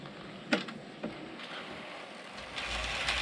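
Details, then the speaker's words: Realtrack Class 156 model loco (RT156-312) after running in, in one direction only: thin high squeak over the motor whir and light clicks, isolated to one bogie; stops when that bogie is lifted; dry binding wheelset suspected, later axle repair. "you can hear it squeaking. So I definitely know it's on this part of the loco."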